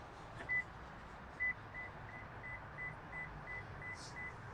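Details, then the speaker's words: 2024–2026 Lexus GX 550 rear-seat reminder at lock after a rear door was opened before the drive: two crisp high beeps about a second apart, then softer chirps. The alert can be turned off under Settings > Vehicle > Customize > Utility. "if you would rather not have the rear seat reminder alert you can turn that off in the settings inside the vehicle"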